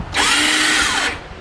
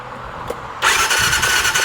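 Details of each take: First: 2019 Massimo T-Boss 410 EFI UTV: key on, a high electric whir spins up, holds about a second and winds down with no cranking beats; starter freewheels, diagnosed as failed one-way sprag starter clutch behind the flywheel. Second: 2019 Massimo T-Boss 410 EFI after replacing the sprag (starter) clutch to fix the starter just spinning: steady high whir as the starter turns the engine over evenly, no grinding or slipping; starter clutch now engaging properly.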